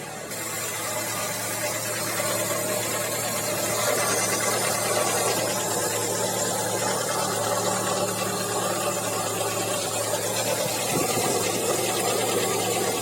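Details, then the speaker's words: Audi 100 C3 1.8 with Pierburg 2E carburettor, half warmed up, idling stable at 980 rpm: light, somewhat irregular tapping over a hissy background; top-end ticking of unknown cause; camshaft seal leaking. "Обороты держит стабильно. Сейчас покажу, почему он стучит."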